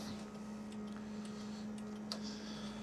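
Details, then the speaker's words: 1996 Suzuki GSX-R750 SRAD track bike with Keihin FCR39 flat-slide carbs and big main jets. Fuel pump switched on to prime the carb bowls before starting: low steady hum with faint light ticks in a quiet room. Normal priming. "it'll prime it a little bit, turn it off, turn it on again, and then get a bit of fuel in the bottom of the carbs."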